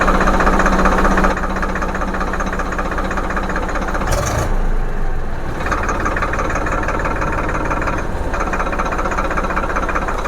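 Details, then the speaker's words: Tractor diesel idle after setting idle RPM with the fuel pump governor's 17 mm nut to fix jerking and RPM fluctuation, cap and race rod refitted: steady even beat, no hunting or surging; idle RPM now correct. "तो अभी RPM बिल्कुल सही है और नट के lock वगैरह cap वगैरह अच्छे से लगा दें।"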